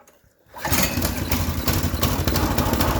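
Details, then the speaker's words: Honda GX-series small engine after sealing a large intake air leak that caused hard starting and rough running: silence, then catches at once on choke and settles into a steady, even run; normal start. "You can see that now we're in good shape. So it's no longer drawing in the fuel. We got things sealed up. It's going to run like it should."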